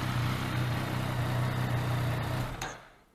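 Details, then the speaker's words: Yamaha MT-09 just after an oil change. The engine soon quiets to a smooth, even idle pulse with a low steady tone, about 50 degrees warm, then a clean shutdown: healthy. "nasz silniczek się już pięknie wyciszył zupełnie taka chwila wystarczy"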